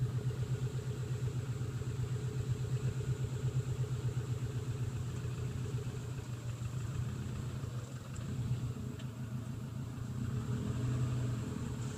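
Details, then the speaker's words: 2006 Subaru Legacy 2.5 GT with a resurfaced rather than replaced flywheel, clutch engaged in reverse: low, rough rumble with uneven pulsing that changes as the clutch is worked. Owner suspects the flywheel; not confirmed. "I have the clutch engaged I don't know if you can hear that sound in Reverse it's in the reverse right now let's see if I can recreate it"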